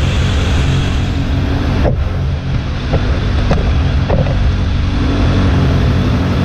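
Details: Suzuki GSF600 idling rough, low and uneven with a lumpy, hunting beat and no clean rhythm, in well-below-freezing weather. Mixture screws are at three turns instead of stock one and seven-eighths, so it runs very rich. Owner suspects a vacuum leak at intake boots, possibly carb #3 or #4; not confirmed.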